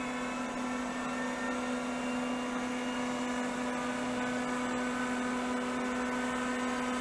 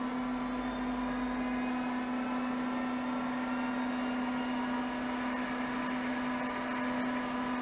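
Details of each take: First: 1980s CDC Finch 8-inch hard drive powered up for seek and read tests: smooth spindle spin-up with quiet bearings, but no head-seek clatter follows; heads fail to self-seek. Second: 1980s CDC Finch 8-inch hard drive under revival, spinning up and running its self-seek test: smooth, even motor hum with steady whirr and light head ticks, no rubbing or scraping; seek fine, parked over track zero — normal.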